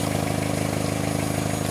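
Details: 1989-98 Geo Tracker after fuel pump wiring repaired with butt splice and heat shrink (not a pump problem); steady even petrol idle with a smooth low hum and no misses or knocks, runs cleanly.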